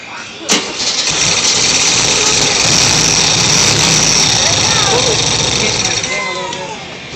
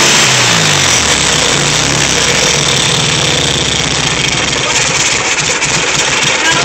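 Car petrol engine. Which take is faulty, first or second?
first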